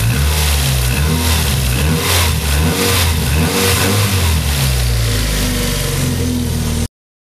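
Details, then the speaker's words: Restored Mazda MX-5 Miata drift car, engine just refitted, after retightening a loose part and refitting the power steering belt: engine idles round and even, revs cleanly several times and settles back without knocks, squeal or belt chirp; healthy. "pense qu'on est d'accord pour dire que le moteur a l'air de toi on est bien rond il y a pas de bruit normal"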